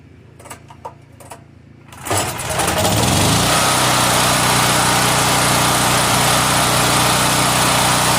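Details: Honda EM5000S generator that only started with starting fluid, after carburetor ultrasonic cleaning, new gaskets, thermo switch, gas line hole repaired; choke set, AC power off: brief cranking, then steady even run, no misses or surging; normal running.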